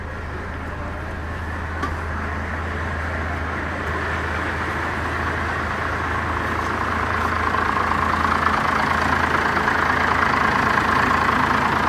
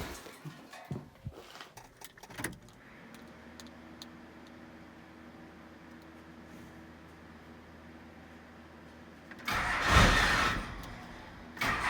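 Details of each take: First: First-generation Cummins diesel, turned up until it's probably about stock; steady, even diesel clatter at idle creeping slightly in level, no misses or knocks, normal idle. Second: First-gen Cummins diesel truck being started while it is turned up, with a license plate ready to block the turbo inlet if it runs away: it settles into a very slow, soft idle, then revs. Idle is too low from underfueling.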